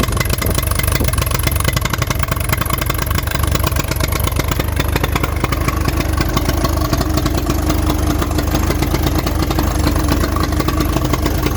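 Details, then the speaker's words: 1983 Honda 200E three-wheeler after carburetor adjustments: uneven stumbling single-cylinder idle with irregular firing; still runs rough, owner plans a carburetor kit. "Well, I guess I'm gonna have to get me a carburetor kit. It doesn't want to run right."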